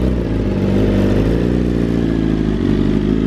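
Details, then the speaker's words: BMW S1000RR carbon build, first start-up, warming until the fans kick in, no coolant leaks: strong, even engine note holding steady with only slight rev swings, no knocks or rattles; normal running. "This is a special bike right here, folks. Listen to that, baby. Woo! Sounds so good."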